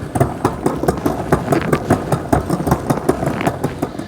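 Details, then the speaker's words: 2024 Wired Freedom e-bike with Shimano shifter and Tourney rear derailleur in top gear: sharp steady clicks about five a second as the chain tries to drop to the next cog, misadjusted indexing. "has an issue when it's at the very top gear where it kind of is clicking. It's not perfectly aligned."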